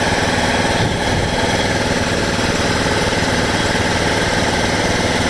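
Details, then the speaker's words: 1996 John Deere LX176 lawn tractor, Kawasaki engine, first start after sitting years, old gas, weak battery on jumper, on choke: steady even putter at constant idle, no knocks or misses; normal idle. "Hey, typical Kawasaki. Reliable engines, you gotta love them."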